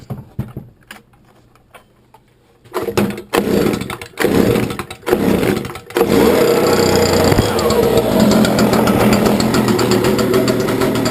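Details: Stihl BG86C handheld blower, unrun for three weeks and started cold, after spark arrestor removal to cure bogging and shutting off: a few pull-start bursts, then a steady even drone without bogging or surging; fixed.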